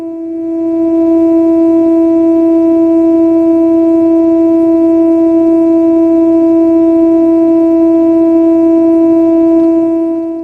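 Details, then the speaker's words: Fender Blues Deville tube guitar amp built 1993–96, after new power tubes that did not solve the problem; steady test tone checked on oscilloscope comes out buzzy and edgy instead of smooth sine; distorted output, cause not found. "These new power tubes sound a bit better than the old ones, but they did not solve our problem."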